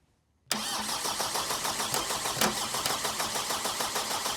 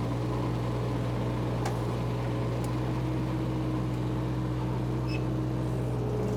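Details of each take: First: Power Trac 1850 diesel mower being bled after fluid and filter changes: steady starter churn at about three beats a second with no firing, the engine cranking while still quite a bit of air remains in the fuel system. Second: Power Trac 1850 diesel tractor after fluid change, mower engaged: steady even diesel drone with mower spinning, no misses or knocks; normal running under load.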